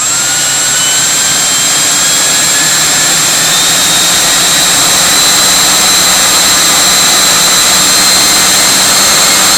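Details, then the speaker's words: Viper 11 90 mm EDF on a Starmax 39 mm inrunner, initial test after balancing: high steady fan whine with a faint fluttery pulsing as revs climb, owner suspects from blade tips, appearing around 2300–2400 rpm; cause unclear. "so I haven't even run it up to high speeds yet that you hear that weird fluttery noise it sounds like it's coming off the tips or something"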